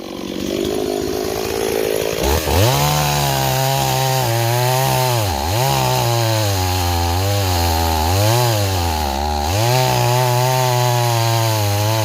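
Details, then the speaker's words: Stihl 026 chainsaw returned as a no start, cutting a log; revs surge and sag unevenly with a soft burbling edge instead of a crisp scream; engine running too rich, carburetor to be adjusted. "neighbors it was definitely running too too [Applause] [Music] [Applause] rich"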